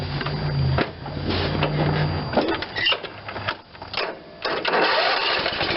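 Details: John Deere LT160 with Kohler CV460S single-cylinder 460cc engine, just fitted with an aftermarket carburetor for over-fueling, started in real time. It catches and runs rough, surging and dipping, still over-fueling because the choke was stuck.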